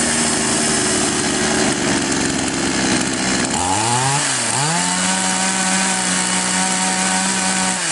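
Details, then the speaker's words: Chinese copy of Stihl MS660 chainsaw that started but stalled on throttle, after opening the carburettor screw nearest the cylinder about half a turn and then a bit more: revs cleanly, drops back, then holds a steady even high tone without bogging; normal running. "Таким образом, инструмент работает в обычном режиме. Мы завершили настройку."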